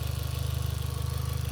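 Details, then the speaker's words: Mk4 Golf GTI 1.8T idling briefly, exhaust kept cool: rapid even low pulsing with a faint puff on each beat from underneath; owner suspects a slight exhaust blow, not yet investigated. "You can hear it coming from just underneath. Just sounds like a slight blow that we'll investigate."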